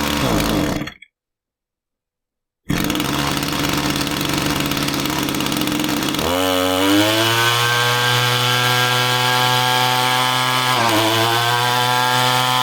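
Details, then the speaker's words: Echo string trimmer two-stroke powerhead that runs poorly: the revs hunt and surge unevenly instead of holding steady, and loosening the fuel cap made it want to die. Erratic running; tank vent may be suspected, cause not yet confirmed. "So that was kind of crazy, right? You loosen the fuel cap and the machine wanted to die out."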